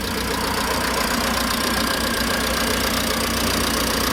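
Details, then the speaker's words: 2007 Ford Mondeo Mk4 hatchback, 1.8 TDCi 125 hp diesel, 6-speed manual, about 280,000 km, started to show how it runs: steady diesel idle with an even, fast clatter, no stray knocks or misses; healthy high-mileage diesel. "Acum dacă toți sunt aici, voi porni și motorul ca să auziți cum funcționează și cum toarce."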